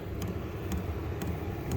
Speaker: you just got to get used to this little Thump Thump Thump but you can put some little box thing around you can quieten it down you can barely hear it